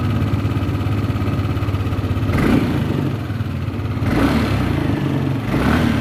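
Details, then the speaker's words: Yamaha Lexi 125 scooter after engine rebuild following running low on oil (worn piston): revving up and down with a light periodic click over the engine note, the VVA solenoid switching, normal. "Hai lapangan bisa dengar petek gitu ya suara klik suara piket detik begitu Itu adalah selenoid Disini yang sedang mendorong dari punya itu"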